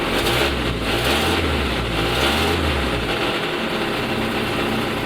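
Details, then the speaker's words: 1991 Jeep Wrangler YJ, 2.5 L 150 ci straight-4, high mileage; on startup and revving, a raspy, hollow, breathy roar, "like an airplane", from an exhaust leak somewhere in the system. "This Jeep does have an exhaust leak somewhere, which doesn't make it sound very good."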